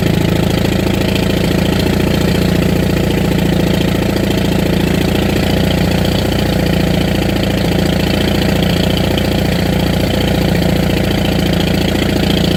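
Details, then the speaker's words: 1959 International Harvester B275 diesel tractor just after a cold start, glowed with throttle wide open: uneven, stumbling idle knock, not firing on all four yet. It later smooths out but over-fuels; owner suspects a sticking rack or diaphragm problem. "I don't know if it'll be starting up in the middle of winter. It seems to have a bit of a miss, too."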